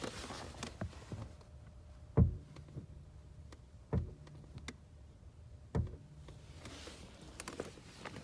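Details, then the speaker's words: 2001 BMW 325ci (E46), wheel at rest, phone held close: three sharp isolated thumps like small metal or plastic cracking when the steering wheel is turned right from center, not to the left; car also shakes slightly when driving; cause unconfirmed, owner rules out the wheel hub. "When I turn the steering wheel, you hear a crack, like a how the best way to put it, it's like it's like a small crack, like metal cracking."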